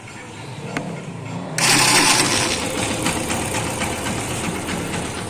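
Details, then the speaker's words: Yamaha FZ version 2 motorcycle, self-starter cranking: harsh rattling grind as the starter engages, then busy even idle; engine and one-way starter bearing fine, fault is worn starter pinion. "Self थिच्दाखेरि एउटा अर्कै टाइपको आवाज आउँछ, तर start भइसकेपछि sound राम्रो आउँछ।"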